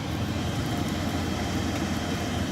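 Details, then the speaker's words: Gentleman Janitor GJ-5 coal stoker burning rice coal after about an hour and a half, fitted with the motor from a New Old Stock stoker: even, low hum with no knocking; runs cool and smooth, where the previous motor vibrated. "is nice and cool nice and smooth the other one it was actually vibrating"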